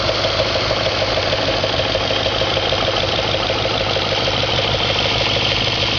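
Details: 2004 Audi S4 4.2L engine at idle, gauge showing over 100 psi at idle: a regular light tapping, about three beats a second, over a steady engine note; internal engine knock of unknown origin.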